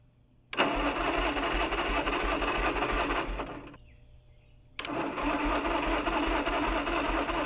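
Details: Caterpillar dozer parked since 1992, gasoline pony engine after filing corroded breaker points: fast even popping beat that drops out a second then catches and runs steadily; normal running, spark restored.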